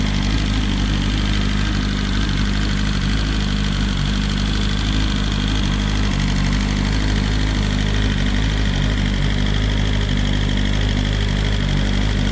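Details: BMW S1000RR first start after the oil plug came out and oil went everywhere: steady, even idle with smooth low rumble, no knocks or rattles; bike sounds great, engine healthy.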